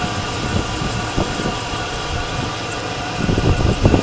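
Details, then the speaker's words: 2003 GMC Sierra SLT, 5.3 L V8, 226,715 miles: steady low idle with handling bumps in background, no knocking or ticking; engine sounds healthy and runs pretty good. "It runs off pretty good."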